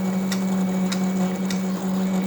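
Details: Roland VersaCAMM printer showing motor error 0080: steady low motor hum with a sharp clack about every 0.6 seconds from the carriage drive; cause not pinned down.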